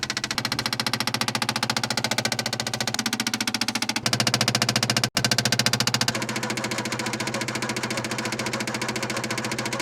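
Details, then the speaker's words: 1967 Opel Rekord 2DHT Coupe, being revived after years standing, with an added electric fuel pump: loud hard steady clacking at about three and a half beats per second with the ignition on, pump knocking hard; cause not confirmed. "Non, cette pompe cogne tellement qu'elle ne reste pas là tout le temps."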